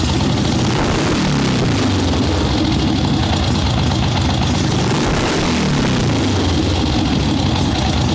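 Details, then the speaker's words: Ironhead Sportster swap-meet chopper with Mikuni VM38 carb being jetted for starting/idle circuits, fresh plugs, cold wet day, no choke: loud lumpy V-twin taking throttle much better, but revs climb slowly with brief hesitation; still a little boggy off idle. "So it is taking throttle way better now. Still a little boggy at first."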